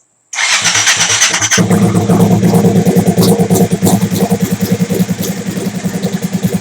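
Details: Big-turbo Suzuki TL1000R V-twin with 560cc injectors and Power Commander, restarted during idle tuning: catches at once and settles into a steady, even idle with a regular pulse, clean and stable; owner happy with it, normal idle.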